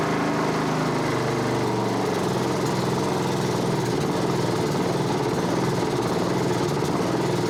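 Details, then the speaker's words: Honda HRB216 push mower (GCV160), stored a few years, a puddle of oil or gas found underneath, new plug fitted, cold night start on choke: small single buzzing with an uneven ragged note, smokes a little oil, rough running with a dirty carburetor suspected. "kind of poopy. Runs kind of crappy, smokes a little bit of oil, but it hasn't run in quite a while, so we're gonna just let that simmer a minute."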